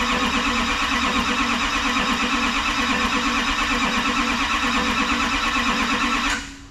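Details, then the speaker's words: Rebuilt Duramax diesel in a 2012 dually with a new S&S CP3 pump, first start attempt on the charger with fuel lines and injectors dry: steady fast starter churn, about three beats a second, without catching, then it cuts out. "hopefully we're gonna try and uh start this thing off mind you there's uh no fuel in any of the lines or injectors so uh we'll see how this goes"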